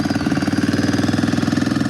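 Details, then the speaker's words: ATV, cold on choke just after first start: quick, even firing pulses at a steady idle with no misses or knocks; running cleanly. "Oh my gosh. It is idling. Holy crap, guys. Is that even freaking real? It's idling. That's crazy."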